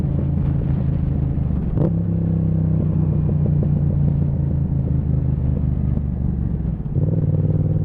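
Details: Yamaha MT-07 with a Zard exhaust on the road: twin-cylinder rumble with a sharp crack and scattered pops as revs drop in 2nd, 3rd and 4th gear, exhaust backfiring on deceleration.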